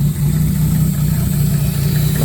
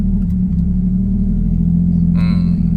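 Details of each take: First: Ford Ranger with 1JZ-GTE turbo swap, running on gas (LPG) only since petrol would not start: low, uneven idle with a pulsing beat instead of a steady hum. Idle unstable, with exhaust valve clearances later found too tight and vacuum/MAP hose leaks. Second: Ford Ranger with 1JZ-GTE swap running on petrol after fuel pump replacement: low, even idle rumble with steady pitch, no misses or hunting. Smooth, settled idle; on gas (LPG) idle is less stable.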